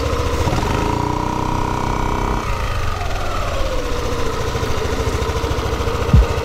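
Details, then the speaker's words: Yamaha Aerox scooter CVT after replacing torque drive bearing and clutch lining rubber, mic taped near CVT; previously noisy when releasing throttle: revs up then steady even drone, no grinding or rattle; normal CVT operation after repair. "allri mga karota, ayos na yung motor natin. pinalitan natin ay torque dry, bearing tsaka iyung rubber sa clutch lining."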